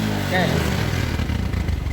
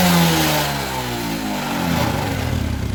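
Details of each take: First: Suzuki New Smash motorcycle with high fuel consumption, black exhaust smoke and no stable idle; soggy rough revs under throttle, heavy black smoke, spark plug stays black and won't dry; running rich from a leaking carburetor vacuum part. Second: Suzuki Smash motorcycle after repair for heavy fuel consumption, black exhaust smoke and poor idle: the faulty part was blocked off (no replacement available). Revs fall from a blip and settle into a steady, even single-cylinder idle with no hunting; normal idle.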